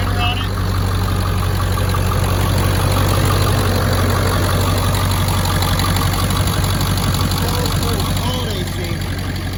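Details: 2002 Ford F-250 7.3L Powerstroke turbo diesel, 236,000 miles, 4.5-inch turbo-back exhaust exiting behind cab: steady, even diesel clatter at idle with firm low drone and no stumbles; healthy.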